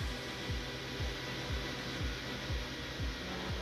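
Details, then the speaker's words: Dusty thrift-store Sony Vaio PC at first power-up: loud steady airy fan rush with a faint chirp about twice a second; loud cooling fan, cause unclear. "So let's see if it powers up. Oh. She's a loud one."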